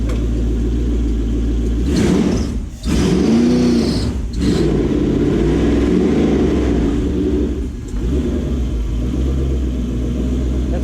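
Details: Gen 1 non-VVTi Lexus-badged 1UZ-FE V8 in a jetboat, EGR deleted, on a Link ECU Atom, after being fixed from running on 6 cylinders, revs cleanly through several blips with no stumble; all eight cylinders are firing.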